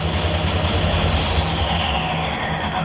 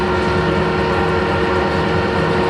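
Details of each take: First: Harrison L6 12-inch swing lathe running at 1,000 RPM hums steadily under a loose, rapid rattle from a clutch plate with elongated holes. The planned fix is springs on three pins between the plates. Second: Harrison L6 12-inch lathe, after clutch repair, at 1,000 rpm: steady even drive hum, no slipping, chatter or grinding; clutch engages and drives cleanly, though a plate with elongated holes rattles.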